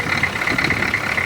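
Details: Old diesel vehicle running on a makeshift fuel filter, charging at 13.7 V: steady idle with a high-pitched whine on top, no misses or knocks; running evenly.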